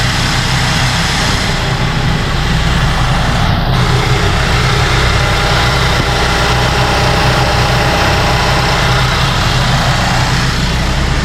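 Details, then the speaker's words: 2014 GMC Acadia after purge valve replacement (lifter-tick-like clanking from bad purge valve): smooth, steady idle with even rumble, no more ticking or clanking. "No more clanking."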